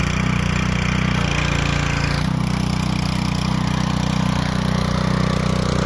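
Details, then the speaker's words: Dirt late model race car V8, first start-up after engine install, cold outside, primed with carb cleaner: loud, deep, even idle that holds steady, a normal cold idle. "uh it went smooth than expected the startup yes sprayed her with a little bit of carb clean and gave her some of that Cosby sauce she barked up she loved it she loved it"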